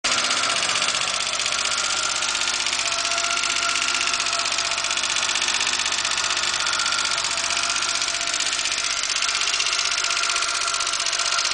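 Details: Porsche 924 petrol engine idling steadily with a light, fairly regular tick about three times a second; owner reports a weird engine noise.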